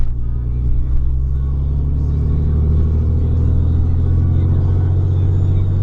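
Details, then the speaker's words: Third-gen 6.7 Cummins diesel pickup with 4-inch exhaust and MBRP muffler, on the road at quarter throttle: deep, even diesel drone, steady rumble with no knocks, misses or rasp; healthy normal exhaust note under light load. "Just, I mean, quarter throttle, not into it at all. Sounds pretty good."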